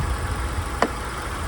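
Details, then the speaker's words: Kia Ceed 1.4 petrol (100 hp), LPG-ready, engine idling, with the fuel rail visible: steady low idle with a light, crisp tick on top, the normal injector clicking as fuel is delivered to the combustion chamber. Simple, reliable engine. "Nie wiem czy to słychać na kamerze jest charakterystyczny taki cykanie to właśnie paliwo jest dostarczone do komory spalania"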